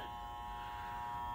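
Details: Steelcase Polyvision PJ905 short-throw DLP projector, dusty, with speckled image: constant high buzzing whine with thin steady tone over the fan; suspected noisy, bad color wheel, replaced along with the DLP chip.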